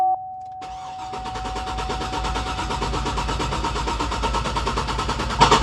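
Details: Even, rhythmic cranking at about three beats a second with no skips, on a GMC Yukon V8 with a cylinder 3 misfire, cranked in clear-flood mode so it won't start; oscilloscope on coil one shows even compression across all eight cylinders, no mechanical fault.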